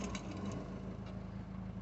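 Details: Peugeot 2008 1.6 HDi DV6 diesel at 131,000, after crankshaft pulley replacement: low, even idle with a steady rumble and no knocking, rattling or wobble from the front of the engine.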